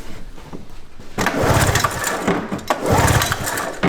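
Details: Vintage snowmobile with points ignition, sat in a barn about 20 years: ragged cranking bursts that never catch; no spark seen, and the points are thought to need sanding.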